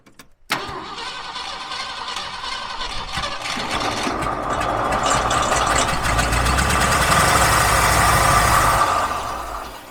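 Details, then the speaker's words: 1968 Ford F-100 after 20+ years in a junkyard, expected to have a 360 V8, belt refitted: cranks and catches, then a steady growl with a whirring tone that swells with speed. Suspected from the water pump pulley. Accessory drive growl. "I think that sound is coming from our water pump pulley"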